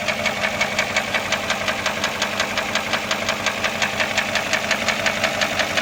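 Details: Porsche Cayenne S, sold as junk and hard to start: a sharp, even ticking knock about three times a second over a steady idle; an abnormal engine knock, cause not identified.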